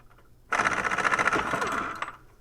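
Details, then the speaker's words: Air impact wrench removing the strut top nut on a 2005 Nissan Frontier for Bilstein install, air tank nearly empty: short soft, sluggish rattling hammer burst of about 1.5 seconds; weak from low air pressure. "and as you can hear my impact my air tank is uh just about empty i haven't turned the air tank on today so i was using low air pressure all day working"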